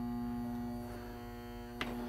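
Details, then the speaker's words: Battery charger on a 2010+ Club Car Precedent 48 V golf cart that wasn't moving or charging, charging weak batteries: steady low mains hum with fixed tone, a few handling clicks near end; charger working normally. "i'm going to let it hum away i'm going to put the charger on the floor and then just let it do its thing"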